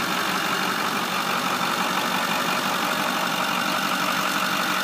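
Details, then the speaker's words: 2008 Ford F-350 Super Duty 4x4, 6.4L Power Stroke diesel, 152K miles: steady even diesel clatter at idle with no misses, knocks or uneven beats; healthy motor, normal idle. "so this is a good one to start with because there's uh there no issue 4x4 works great"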